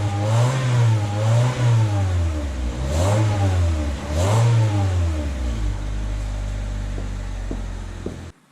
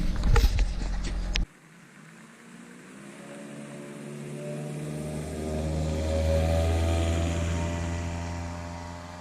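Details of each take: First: Catless 2000 Honda Civic (eBay header, test pipe) after adding a resonator installed correctly, slits toward the engine: repeated revs rising and falling with a deep, smooth exhaust note, settling to steady idle. The resonator virtually eliminated the raspiness above 2,800 rpm. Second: 2000 Honda Civic with eBay header, test pipe instead of cat, OE piping, resonator and OE-style muffler, before the added resonator: revs climb from idle with a rising droning exhaust note turning raspy at higher revs, above 2,800 rpm since the cat was removed.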